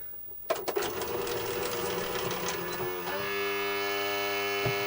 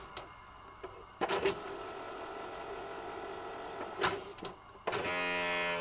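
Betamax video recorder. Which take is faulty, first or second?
first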